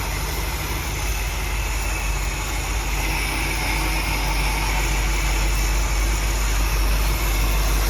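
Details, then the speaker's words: 1957 Buick Roadmaster nailhead V8, never-run engine at first startup and cam break-in, air cleaner off: steady, even low rumble at idle, earlier driver's-side miss gone, no shake; normal idle. "Idle sounds good. I was getting I think a little bit of a miss on the driver's side before, but I think we're in good shape now. Everything kind of smoothed out. There's no shake."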